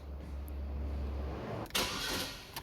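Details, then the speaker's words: 2011 Holden Cruze, cranking: starter grunts briefly then stops without turning the engine a full cycle; battery test failed, but a known-good battery didn't help; faulty relay box circuit found and replaced. "the problem for this car is see when we when we crank it and it will crank for a while and then it stop yeah see like that it's just like a crown a sort of grunt"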